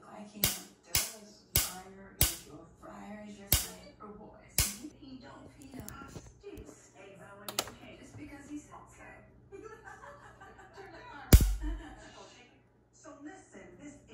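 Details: Liba device plugged in: sharp irregular pops about once a second over quiet background, with a burning smell; device fails to turn on, internal arcing or shorting suspected.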